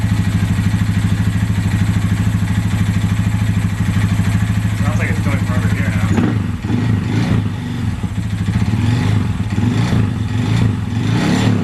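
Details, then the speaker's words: Honda Grom single-cylinder at idle after adjusting exhaust and intake valves and refilling oil: uneven knock once or twice a second persists; possible rod knock or timing noise, source not found. "well the noise is still there"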